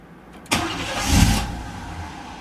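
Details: Old car just fitted with a new battery: engine catches, flares briefly, then sags and stalls within a second, won't hold idle; owner suspects the IAC valve is stuck or needs resetting.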